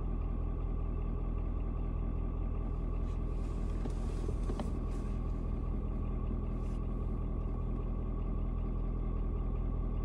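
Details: Ford Super Duty 6.7 diesel (Platinum) cold start at 56 degrees, about 11 minutes in, temp gauge still cold: deep, even rumble at a steady low idle with no knocks or misses after a slight rpm drop (owner unsure if block heater switching off); normal idle.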